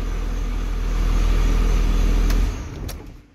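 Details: 12-valve diesel with 48RE swap, after a new crank sensor and repaired wiring: heavy diesel clatter catches quickly and holds a steady low rumble before shutoff; it starts and runs properly.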